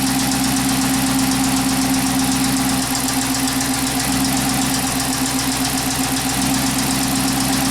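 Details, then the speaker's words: Chrysler 300 with P0300/P0302 codes at idle, eight inches of vacuum; a steady idle with a faint uneven beat, about four pulses a second. The very slight vacuum-needle fluctuation indicates an exhaust valve problem causing the misfire. "we can see very very slight fluctuation on the needle and scissors before and this is clear indication to me that we have a problem with the exhaust valve"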